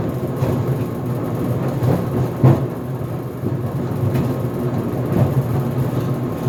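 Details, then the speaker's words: GE Profile Harmony dryer on the cooldown of an 11-minute sneakers/dry cycle without extended tumble: a low tumbling rumble with irregular heavy bangs every second or two as the drum turns. The door pops open near the end of the cycle. Cause not identified. "armony dryer is making a banging noise it is on the cooldown cycle right now because I set the drive time to 11 minutes without extended tumble"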